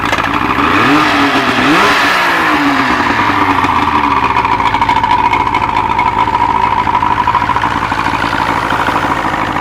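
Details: OMC 3-cylinder outboard, after water was found in its gas and it was run from a clean shop tank, fires up and settles into a steady, even buzz with no misses or stumbles; normal running.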